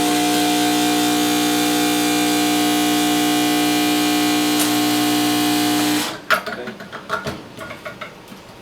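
Loud, steady buzzing hum for about six seconds that cuts off sharply; the vibration pump is working noisily while it builds pressure.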